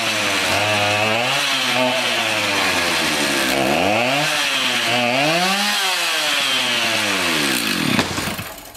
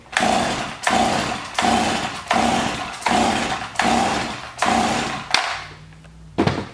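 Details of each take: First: Garbage-picked two-stroke chainsaw revived, restarted after a replacement part fitted to get it oiling; revs up and down cleanly, rising and falling smoothly with the throttle, no stumbling or dropouts; runs well. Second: Garbage-picked chainsaw, choke on, switch on: seven hard pulls, each a short rasping crank that dies away, never catches; no start, low compression suspected, new spark plug fitted by someone before.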